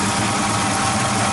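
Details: 1970 Ford Mustang Mach 1 V8 with a rebuilt engine, restarted after years of sitting with a new set of plugs, heard near the quarter panel: a loud, slightly lumpy idle that runs decently but very rich; the carburetor needs a rebuild.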